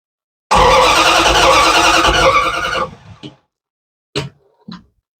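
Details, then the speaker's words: Restored Bombardier snow vehicle on its first test run, master switch on and fuel tank selected: starter churns evenly for a little over two seconds, engine never catches and no fuel pump is heard; crank no start, fuel pump suspected. "don't hear the fuel pump. What the fuck? No. Fuel pump kick in?"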